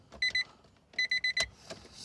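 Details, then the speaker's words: Car stored unstarted for over 13 years: pressing the horn gives thin, feeble short beeps instead of a full blast; the battery is flat, and after charging, the dash lights come back and it cranks. "It seems to make a noise when I press the horn. like a noise like the battery is dead."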